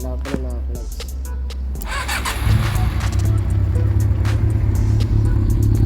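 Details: Honda CB400 after engine rebuild (new original bearings, valve seals, rebored +0.75 pistons and rings, after internal noise), running on leftover carb fuel: catches after rough start, settles into steady even low rumble with clean revs; healthy.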